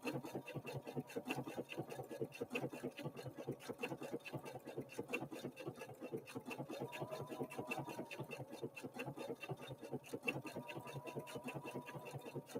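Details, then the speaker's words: Husqvarna Viking Opal 650 sewing machine (Swedish design, Chinese built) stitching block-letter text: fast, even stitching clatter with steady rhythm, not clanky, tinny or plasticky, nothing loose; quality solid machine running normally. "as you listen to this machine notice that it's not clanky it doesn't sound tinny it doesn't sound plasticky whatever plastic he sounds like it's just a quality solid machine"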